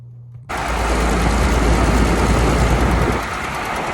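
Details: Dodge Caravan / Chrysler Town & Country, phone taped near exhaust flex pipe after catalytic converter while driving: coarse gravelly rumble under van, steady then easing; worn exhaust flex pipe grinding (mechanic not fully sure).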